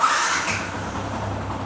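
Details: Yamaha R15 after a temporary fix for its starting problem: engine settles into a steady, even idle with no misses or knocks; normal idle.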